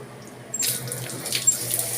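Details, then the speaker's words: Samsung automatic washing machine after start-button board repair: sudden hiss of spraying water starting half a second in and continuing strongly; hard water leak. "lakas ng leck Nagli-leak po yung tubig. Tubig niyo ha. Tubig niyo nagli-leak."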